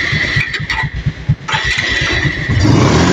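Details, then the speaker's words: Kawasaki Rouser 180 with a 28 NB carburettor, revved from idle: uneven stumbling low chuffs that sag and stutter before the revs pick up, hard to start and dies when revved suddenly; bogging from restricted carburettor intake. "Kaya lang pag binirit tingnan niyo ha. Pag binirit patay. Tapos pag pinaandar niyo siya o hirap na."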